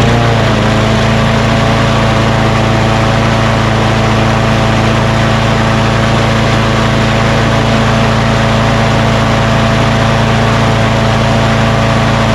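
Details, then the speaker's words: Craftsman push mower with Quantum engine, after rpm adjustment: even, steady hum at constant pitch with no surging. Normal running speed; it was too high before. "so she now that sounds much better before it was just too high"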